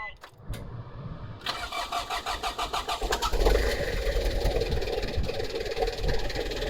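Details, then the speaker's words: Mitsubishi Delica with a new Kunigawa turbo replacing one that had lost boost over a year, plus a short side-dump exhaust; engine revs in even pulses with a faint airy rise under throttle: normal turbo spool. "So let's hear it. And I can actually hear the turbo spool this time."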